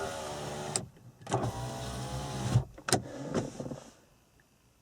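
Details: 1994-1997 Honda Accord after replacing a broken door lock actuator: short smooth power-window motor whirs as the glass travels up and down, stopping cleanly with no grinding or strain; window working normally.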